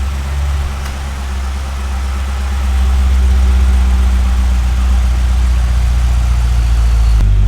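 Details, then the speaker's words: Wrecked Chevrolet C6 Z06 Corvette now running after a no-start fix with locally sourced parts: low, steady even idle, no misses or knocks, no check engine lights; traction control off, exhaust valves open. "Well, I mean, it's running all right now."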